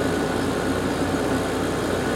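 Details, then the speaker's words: Garage A/C unit at season startup after new capacitors installed: fan and compressor start together into a steady low hum with smooth fan rush, no rattles, clicks or squeal; normal operation. "fan sounds great those new capacitors did the trick"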